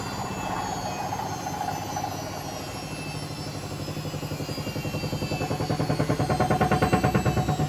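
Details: Hotpoint BHWMXL145 washing machine on a test spin climbing toward 1400 rpm: heavy rhythmic thumping of about three bangs a second grows louder as speed rises, the drum slamming because two spider arms have snapped.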